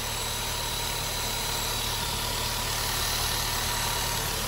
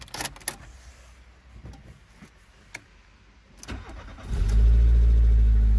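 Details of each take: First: 1997 VW Golf Estate Joker Edition petrol engine at smooth, steady idle with a constant airy hiss on top, which the owner attributes to a vacuum leak somewhere. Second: 1997 VW Golf Mk3 estate Joker Edition: quiet handling noises, brief crank, engine catches at once and settles into a steady, even low idle; some exhaust noise noted; normal engine start.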